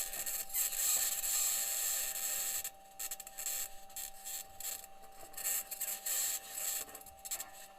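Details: Perseverance rover driving in Jezero Crater, Mars, self-recorded: harsh gritty scraping in uneven bursts over faint steady whine as it rolls; squeaking and scraping while driving, cause unknown, possible problem questioned.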